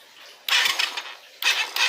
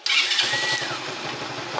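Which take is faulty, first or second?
first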